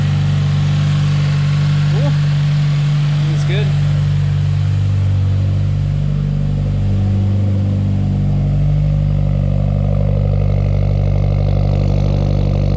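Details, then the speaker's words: 2020 Subaru WRX, 2.0L turbo FA20F four, 4,000 miles, idling near operating temperature right after an oil change as new oil circulates: smooth even low hum, steady rhythm, no ticks or knocks; healthy. "dang that sounds good but let this engine oil cycle through and then uh i'll shut it down"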